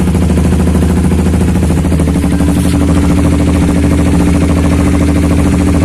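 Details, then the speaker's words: Honda CBR150R idling with DB killer removed, on a roughly two-year-old aftermarket exhaust with original burnt packing: loud, steady idle with a harsh, raspy, crackling note; owner suspects the worn silencer packing, not confirmed. "Ini gas spoolnya belum gue ganti, masih bawaan, udah angus, suaranya udah mulai gak enak. Harus ganti."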